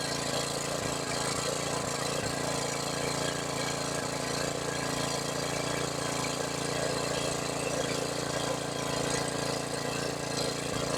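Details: $100 used generator, long sitting, with a rebuilt carburetor and a fuel leak: steady small single-cylinder drone at constant speed, even and uninterrupted with no misses or surging; it runs normally.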